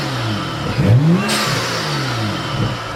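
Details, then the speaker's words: BMW F30 335i (N55 turbo six) after installing a BMS Elite performance intake, before/after comparison, much different sound. Crisp blips with loud intake whoosh and spool hiss on each rev: normal revving with loud intake. "guys this is crazy this is so much different"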